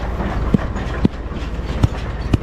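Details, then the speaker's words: New Holland 644 round baler baling grass silage: sharp metallic clacks about every half second over a steady drone. Described as typical of a New Holland baler; cause not stated. "Hear that? Oh man, that's typical of a New Holland baler."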